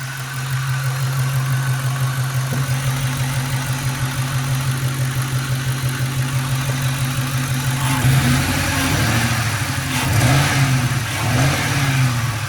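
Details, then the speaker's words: 2002 Ford Mustang GT idling low at about 500 rpm at a red light, with a lumpy beat worsening into stumbling pulses; a definite misfire. It may keep burning coils, and the air filter got wet in a puddle; a bent rod is suspected. Cause unconfirmed. "Idling at 500, that's a little low. Now, there it goes, see? It's definitely a misfire, and it gets worse."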